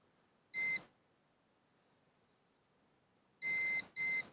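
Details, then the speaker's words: Manta SPK15GO Bluetooth speaker mainboard, multimeter continuity test: sharp high beeps, one alone then two close together, each solid; short on the first capacitor, the culprit still being narrowed down. "wsiadła bo jest zwarcie na tym pierwszym tutaj kondensatorze i w zwarciu jest też na kondensatorze"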